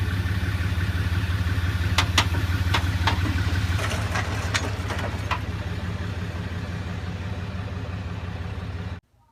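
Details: 1996–2001 Toyota Camry 2.2 L 5S-FE four-cylinder that shut off while driving: starter spins quickly and evenly, about three turns a second, with no compression pulses; possibly snapped timing belt, suspected, not confirmed.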